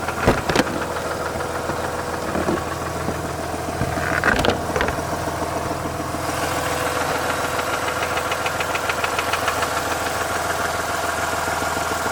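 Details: Mazda RX-8 Renesis at idle: uneven knock about three per second with a few sharp clacks, coming from the rear of the engine or the clutch; the SSV seems ruled out, and the cause is unconfirmed.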